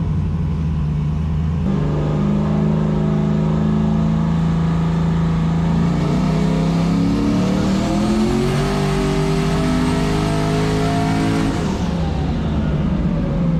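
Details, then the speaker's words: Foxbody Mustang on E85, on dyno after repairs, small dome pressure: starts nicely, steady idle then smooth even climb to high revs and clean drop back; pulls strongly, healthy. "so let's let's see what happens this will be the moment of truth I guess it starts up real nice"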